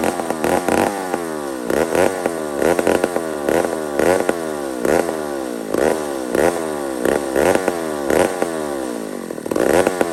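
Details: Old McCulloch 1-71 chainsaw after a carburetor upgrade: revs surge and sag roughly every second, never holding steady, lean hunting; owner sees a huge vacuum leak at the intake gasket.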